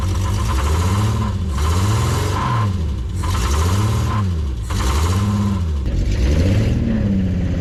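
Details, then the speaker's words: Prewar Austin/Crosley single-seater race car, engine running: steady low drone with a rhythmic knock that fades as revs rise; owner says it is not bottom end or pistons and suspects loose torque converter bolts, unconfirmed. "Our railway is not bottom end and it's not pistons because it goes away when you rub it. Excellent. It's the first time I've heard it run clean."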